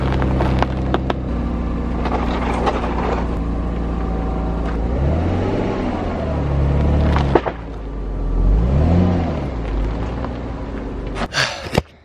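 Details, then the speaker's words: Audi A4 B5, first start after the exhaust was refitted: the engine catches and settles to a steady, even idle with a couple of smooth revs and no rattles; an unexplained hiss was noted. Normal idle. "it sounds stuck as [ __ ] which is dope so um somebody would want it"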